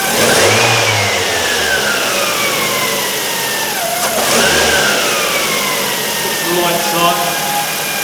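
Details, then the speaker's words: 2008 Ford Focus 1.8 petrol running after electrical power loss and stall; thin high whine sliding with revs from the engine bay, suspected alternator though charging and voltage drop checks seemed good. "a whining noise coming from the engine bay sounds like it's the alternator"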